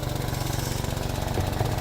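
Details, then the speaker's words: Vauxhall Mokka with EML light on, idling on ramps, heard from underneath: rapid puffing chuff on each firing pulse; exhaust leak found during underbody inspection. "Exhaust, obviously we can hear it."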